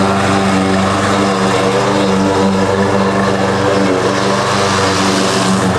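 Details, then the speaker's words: Husqvarna push mower after carb cleaning and oil refill (Rotella T6), mowing deep grass: labouring single-cylinder drone pulled down under load, backfire; owner suspects loose blade rattling underneath. "it's too dang low backfire"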